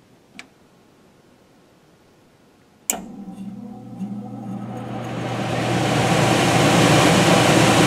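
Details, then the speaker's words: Furnace air handler PSC blower motor on the yellow speed wire: click, then hum and airy rush build to a strong, even run, louder than on the blue wire; normal startup. "yeah definitely louder now with the yellow wire"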